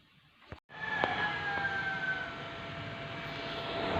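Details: Repaired electric bike charger (69.4 V/5 A or 58 V/6 A type) with a faulty capacitor, powered on: steady airy whir with a faint constant whistle; cooling fan spins smoothly and sounds healthy.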